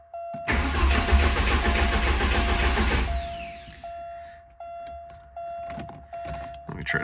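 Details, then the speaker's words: 1985 Porsche 944 that suddenly quit while driving: starter cranks steadily about three and a half compression beats per second under three seconds, never catches; no tach bounce, owner suspects failed speed sensor, unconfirmed. "So it is a crank no start."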